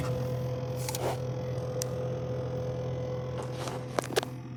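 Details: GE refrigerator: steady low hum with a thin higher tone, loud enough to hear in every room; fan vibration suspected, and insulation added between the fan bracket and the wall by a repairman did not stop it.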